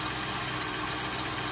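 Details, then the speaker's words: 2001 Mercury Grand Marquis, 4.6 2V V8, 81,000 miles, engine idling: high thin squeal with fast pulsing chirp from worn tensioner pulley bearing with excessive play (idler also suspected), belt dry rotted; fixed by replacing belt, tensioner and idler pulleys. "got a little bit of back and forth to it it's either py squalling that tension are py squalling"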